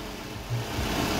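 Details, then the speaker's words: 2003 Toyota Previa, 2AZ 2.4 L, after timing set replacement, third start: steady, even low idle with no knocking or ticking; engine sounds healthy. "Ayan, may start na si 2AZ engine. 2003 to na Previa guys, yung makina na to."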